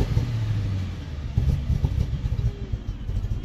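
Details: BMW N62/N63 V8: deep engine note turns choppy and stumbling when throttle opens; misfire with power loss and shutting down, bad spark plugs suspected as usual cause, unconfirmed.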